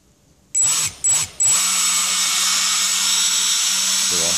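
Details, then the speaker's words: Hobby King Dr. Madthrust electric ducted fan (supposedly factory-balanced, still imperfect) spinning up on a table during balancing, best blade position chosen before adding tape: high airy whine over a low steady buzz, rotor imbalance vibration still audible. "You can hear the vibration."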